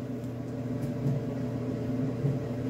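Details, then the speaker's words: Maytag Neptune gas dryer on quick dry cycle, 27 minutes in and still hot after gas solenoid valve work for heat problem; steady low hum and even drum rumble, no rubbing or knocking; normal running. "you should hear the click of the gas valve [Music] there it is and we have success"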